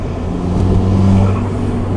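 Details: Ford Fiesta ST on E85, after installing a new part in prep for a hybrid turbo. Short rev with a deep, smooth exhaust note that climbs and settles cleanly, no rattles or misfires.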